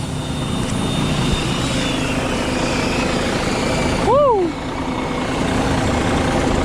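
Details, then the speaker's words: 2020 Volvo VNL 760 semi truck diesel, first start after sitting about 2 years during wreck rebuild: steady, even idle with low rumble and no knocks; brief air hiss from the rear where something wasn't hooked up right; engine runs fine. "started though sounds good sounds good we got a problem back there though"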